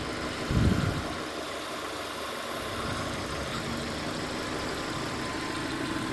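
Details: Mitsubishi Lancer, idle air control check: steady low smooth idle after a brief bump at start; idle control holding speed properly, normal idle.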